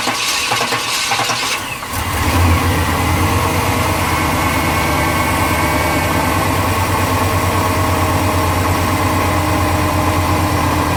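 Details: 1996 Tahoe 5.7L V8 with central port injection: starter cranks about two seconds before it catches and settles to steady idle; fuel pressure stays under 50 PSI during crank, too low to open poppet valves, because of a failing fuel pump.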